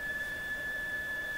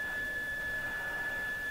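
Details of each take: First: Mohawk Serenader farm radio with the signal generator connected at about 10 microvolts, tuned near 1 MHz; steady high-pitched whistle over soft hiss, squeals all over the dial, cause not yet found; oscillation squeal. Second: Mohawk Serenader farm radio under assessment: a steady, clear high test tone over soft hiss as a signal generator feeds a signal into the antenna lead. The radio is receiving normally.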